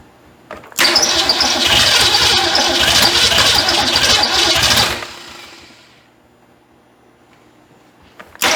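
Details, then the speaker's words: Ford Fairmont that sat 35 years, on a borrowed battery charger after failing to start: cranks, fires and runs ragged about four seconds, then sputters and dies; exhaust manifold smog tube broken off, leaving a hole. "it wants to I can say it ran officially but y'all know me we got to have it better than that"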